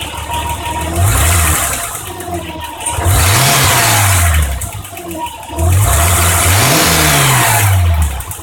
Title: BMW m20b25 noise after valve adjustment